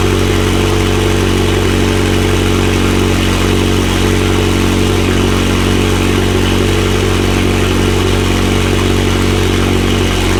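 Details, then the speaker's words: McLaren 720S engine after repair of Time Attack oil-overheating failure, idling after cold start: loud steady idle, even low rumble, no knocking or irregular beats; stable oil pressure at idle; normal idle. "Engine running good. Everything burning up. There is a stable oil pressure at idle, 162 bar."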